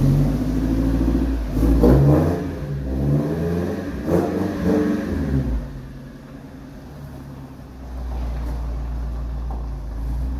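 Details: Pickup (bakkie) engine revving after an exhaust leak was fixed: a few rev blips settling to a smooth, even idle with no exhaust ticking.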